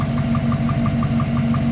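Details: V8 idling evenly with a light, regular tapping about six times a second over the engine note: piston slap on a new engine with only 15,000 km.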